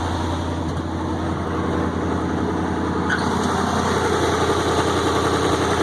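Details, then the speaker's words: 1965 International Loadstar 1700 truck, first start at pickup: steady, even idling rumble, not missing a beat; engine runs well, only an exhaust leak. "that thing sounds great not missing a beat the only eating here is that exhaust leak"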